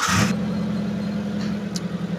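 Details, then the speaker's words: 2015 Mitsubishi T120SS 1.5 pickup, used, engine not yet very hot, green coolant, oil fine. At idle the engine is smooth; the SS exhaust has its typical slight hum, exhaust fine. Even low hum with no knocks or ticks. Normal idle. "untuk mesin kita udah starter ini kondisi mesin stasioner suaranya masih halus masih enak Emang kalau knalpot SS itu suaranya e kayak gini ya jadi Siri khasnya SS itu agak nengung dikit gitu"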